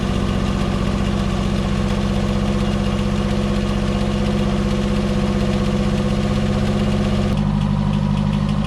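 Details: Ford XR2 idling on the driveway after refitting its professionally refurbished Weber 28/32 TLDM carburettor, with ignition on and the anti-run-on fuel-cut solenoid powered after a faulty wire was fixed: it fires and settles into a steady, smooth, low idle without stumbling or cutting out.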